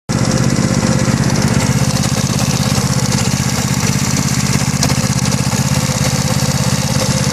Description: My BB gy6 180cc is making this knocking noise that seems to have gotten louder recently. Any idea what it could be? Sounds like it's coming from the head but not 100% sure.